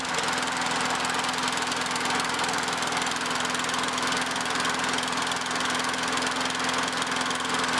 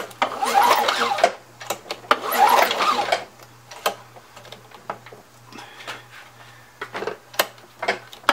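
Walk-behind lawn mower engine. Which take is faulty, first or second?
second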